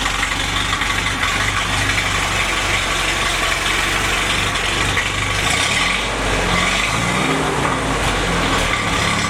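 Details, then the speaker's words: Freshly rebuilt F-head four-cylinder in a CJ5 Jeep at first start-up, heard at the homemade muffler, free-flowing 2-inch exhaust: steady, even idle with deep throaty note, no knocks or misses; engine sounds healthy. "Okay, I hope you were able to hear that exhaust okay. Sounds pretty good for a homemade muffler."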